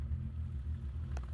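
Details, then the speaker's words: BMW E30 325i M20 engine, warm, after valve adjustment: deep, lumpy, loping idle around 500–850 rpm, evening out with a little throttle; owner plans to raise idle to about 900 rpm. "But listen, you can hear the lumpiness. You hear that lumpy? The lumpalinis? I don't like it. I don't like it at all. I'm gonna fix our idle. But now that it's warm, you can really hear it."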